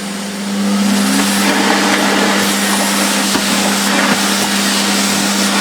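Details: Refurbished Electrolux 4x4 vacuum on boost after restoration: steady, even motor whine with firm low hum and airy rush, no surging or rattles; running healthy.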